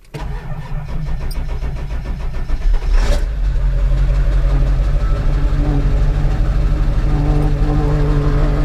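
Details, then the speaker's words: Ford F550 Powerstroke diesel, 143,000 miles: about three seconds cranking, sharp catch, then steady low idle as oil pressure comes up quickly; normal prompt start. "you'll see that engine oil pressure come up real quick and it's going to start real"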